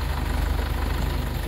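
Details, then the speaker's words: Hydra crane after repairing the sticking control-lever valve spool, test-lifting a 6-ton box: low, steady engine drone with even pulses and no groaning, juddering or stalling under load; the crane swings smoothly and the lever seems no longer to stick. "अब चलिए operator कितना चलते हैं और देखते हैं सही हुआ कम कर मतलब सही से कम करना स्टार्ट कर दिया"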